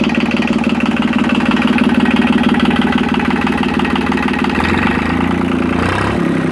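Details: Yanmar 3QM30 marine diesel, jump-started with the decompression lever in run, chugs at a settled idle with a regular beat and no knocks or misses. Smoke came from excess diesel after long cranking, oil pressure reached 75–80 psi, and no cooling water was connected yet. Normal running.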